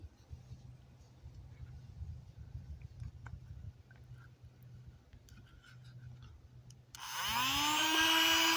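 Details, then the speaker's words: Battery air hockey puck toy that had been grinding with no airflow, opened up and tested: after a quiet stretch the fan motor spins up with a rising whir, then settles into a smooth, even run; normal. "okay that sounds pretty healthy why is it growling"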